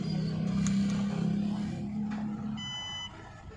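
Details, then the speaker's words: Mahindra e-Verito EV with a drive fault, after reconnecting a burnt, melted cable and resetting the high-voltage battery: soft motor hum fades, then a clean repeating chime as the car shows ready to drive; fault fixed. "and look here, ready to drive this is the fix friends, this problem is now fixed"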